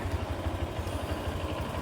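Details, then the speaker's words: Honda Click 125 scooter idling after pulley set replacement (crankshaft first suspected); even low putter at steady beat, no scraping or rattle, noise gone, very smooth; normal idle. "Okay na. Nang ingay. Smooth na smooth."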